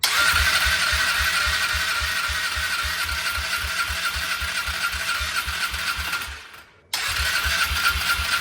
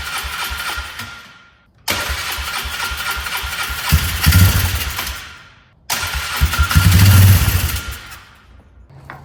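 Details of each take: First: Polaris Trail Boss 325 four-stroke ATV, probably 2004, parked 12 years, after setting mixture screw about two turns out: single-cylinder idles steadily at about four pulses a second, even beat, one brief dropout before settling; normal idle. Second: 2004 Polaris Trail Boss 325 four-stroke, parked 12 years, carburetor not yet cleaned: two long even cranking bursts that fade without firing; cranks but won't start, likely fuel-starved carburetor.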